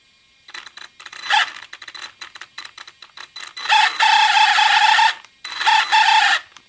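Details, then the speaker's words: Second-hand Traxxas Summit RC truck: loud chirping squeal in bursts as it accelerates slowly, rising with throttle; drivetrain squeal of unknown cause, owner suspects the slipper clutch. "so i bought this traxxas of ebay and uh i've been running fine but recently they have this bizarre squeaky noise so i don't know what it is"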